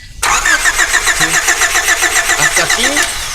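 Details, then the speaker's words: 1992 Honda Accord towed in, no start, no spark; starter spins engine at an even brisk rate but it never fires; distributor not rotating because the camshaft broke, so valves and rockers aren't working. "Entonces el problema está aquí en esta parte se quebró el elevas donde van los balancines donde van las válvulas las válvulas estas no están trabajando"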